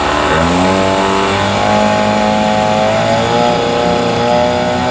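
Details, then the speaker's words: Mercury 9.9 hp outboard after fuel line replacement, revved in neutral/reverse: clean steady buzz rising smoothly with each rev, settling without misses or sputter; running properly, old fuel line believed the problem. "She's idling good. That's reverse. Neutral. Well, she's running good. I think it was just the fuel line that was the problem."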